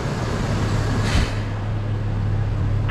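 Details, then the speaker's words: 2005 Chevy Colorado with replacement junkyard engine, just started after reassembly; low steady idle rumble with even beat, no stumble, running on all cylinders; normal idle. "man look at that sounds awesome right there"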